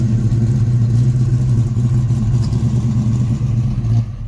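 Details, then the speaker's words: 1967 Ford Mustang V8 being inspected before purchase, warm engine: deep, even steady rumble with no knocks or ticks; good-running; normal running. "This thing stomps. It's a good running little car. Temperature staying around 180."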